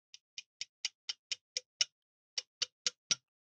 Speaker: that little rattle tells me I've got at least one high corner and even with the pressure of the screw that Gap is going to mess things up